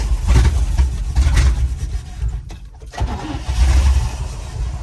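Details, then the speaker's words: 1972 Chevy K10 4x4, 350 V8, sat 20+ years, throttle being pumped: engine surges in uneven bursts, sags and nearly dies, won't stay running; owner suspects fuel pump not pumping or carb, worsening the more it's driven. "We can't die here. Won't stay running. I don't understand why."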